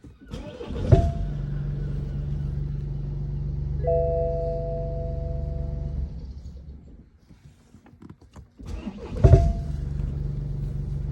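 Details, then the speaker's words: BMW 1 Series F20: a very big sharp bang from the engine on each crank with the starter, then a steady idle, heard on both starts; banging noise on start, cause unknown. "very big very big banging noise coming at the starter you're here"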